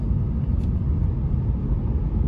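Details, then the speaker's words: Lexus IS on road after spraying silicone on rear wheel shield installation tabs: steady low cabin road rumble, no creaking or popping from behind rear seats that previously occurred in this area; no body creak. "usually I'm making the second Loop in this area it's cracking and popping like crazy but I don't hear"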